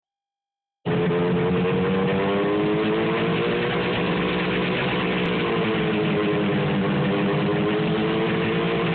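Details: 1973 John Deere JDX8 snowmobile, two-stroke, running on snow for the first time: idle drifts up and down in pitch with an uneven, lumpy beat instead of a steady buzz; rough idle.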